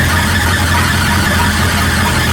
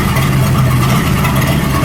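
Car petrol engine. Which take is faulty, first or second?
first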